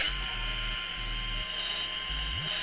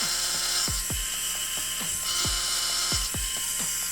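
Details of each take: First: Krytac Kriss Vector airsoft gearbox after a DSG upgrade with a new motor and Lonex Spyral kit: quick bursts of crisp, even cycling with a clean spin-down, though the motor needs shimming for play. Normal gearbox cycling overall. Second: Krytac Kriss Vector airsoft gearbox after a DSG upgrade with a new motor and Lonex Spyral kit: rapid cycling about four shots a second with a harsh, high gear whine. There is play at the motor. Motor gear mesh noise from poor motor shimming.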